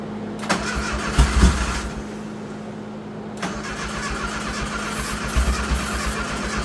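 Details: Turbo Dodge Daytona (1985 Daytona Turbo or 1991 Shelby Daytona) started with no exhaust fitted: it cranks and catches, then runs loud and raw from the open pipe with a steady low beat and no knocks or misses. Normal running without exhaust.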